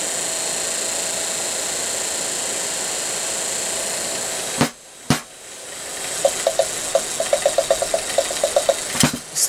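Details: Daewoo Nexia heater blower motor, which had failed from worn brushes and a loose brush lead, bench-tested after brush repair: a steady, even whirring hum with no scraping or squeal for several seconds, then it stops; it runs cleanly.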